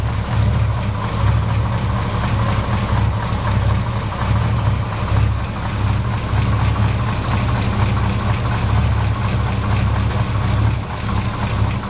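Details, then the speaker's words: Dually truck V8 idling while cold, with oil pressure at 40. A faint, fast ticking puff rides on the steady deep idle: an exhaust manifold leak that returns despite two gaskets. Owner suspects a cracked manifold or a piece of old gasket. "you can hear an exhaust leak which is coming from up there somewhere I put two gaskets on it and it's it'll seal up for a little bit and then start leaking"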